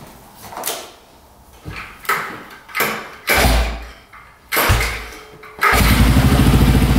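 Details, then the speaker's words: 1995 Polaris Magnum 425 4x4 ATV, not run in years: short uneven rev bursts sag and die before it catches and runs rough; really boggy, possibly lean since pressing the airbox helps, or worn cam lobes or tight intake valves. "So it's really, really boggy. Not sure what's going on."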